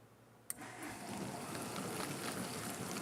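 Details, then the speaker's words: Kitchen Aid dishwasher after replacing the pump and motor: soft water sloshing over faint quiet motor hum, no grinding or buzzing; normal wash cycle. "Water swishing around inside there and a quiet motor underneath."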